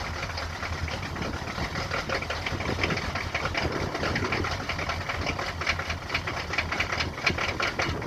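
Diesel clatter at idle with an uneven, stumbling beat and the occasional harder knock, a rough idle after a cold start.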